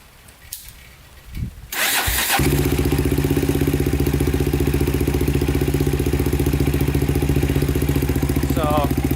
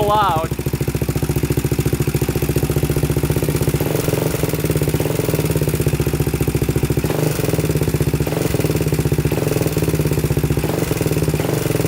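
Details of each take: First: 2000 Honda 400EX with cheap eBay piston and cylinder, after cam chain tightened and valves in spec: catches after a short crank and settles into an even thumping idle, about 220 beats a minute, with light valvetrain tick; healthy. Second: 2000 Honda 400EX with a cheap eBay piston and cylinder, first start: loud single-cylinder idle with a steady metallic rattle and tick in the top end on every firing stroke, almost cutting out; no smoke. Cam chain rattle.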